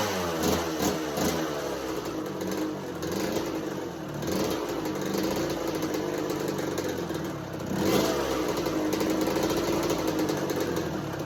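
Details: 1986 Kawasaki KX125 two-stroke in neutral with choke held up and a new NGK BR10EG plug. It is ragged and keeps getting blipped, sagging and stumbling between stabs, and won't idle; the plug didn't fix it.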